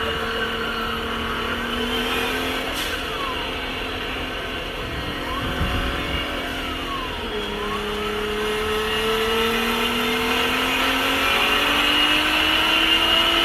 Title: Garret g25-660 turbo failure Nissan GTR